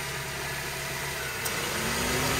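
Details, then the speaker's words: 2010 Honda Civic at idle after removing the AC compressor clutch spacer washer to cure intermittent on/off AC: steady hum, then one faint click and a slight lift in drone as the clutch pulls in cleanly; normal engagement. "As you can see, one click, turn on. Good."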